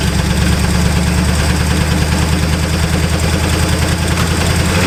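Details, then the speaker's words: Abandoned Pontiac revived after 20 years, restarted after an hour-plus cooldown: steady low idle with a faint fast even tapping; light knock, owners theorize a sticky wrist pin, quieter than before; oil pressure check planned. "We're theorizing like a wrist pin or something that's a little sticky. I I think we're going to hear it gain noise as it warms up again"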